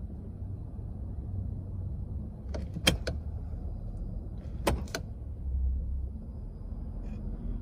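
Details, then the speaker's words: 2010 Lincoln Town Car Executive L, 4.6L flex-fuel V8, 374,000 miles, with an idle that bounces between 500 and 700 rpm: shifting into reverse, drive and park gives sharp metallic clunks and a brief idle swell. Clunk on gear engagement. "so there's some minor clunking from Reverse drive as a park so if I drop it in a freaking reverse you can care gonna hear a little bit of the clunking in the background"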